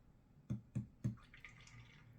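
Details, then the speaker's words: Free gaming PC with Gigabyte Z97X-Gaming 7 motherboard and Cooler Master AIO cooler: three quick soft gurgling bloops, then faint trickling as the liquid sloshes while the PC switches on and off, showing CO code; cause unconfirmed. "So you can hear the liquid in this when that's switching on and off."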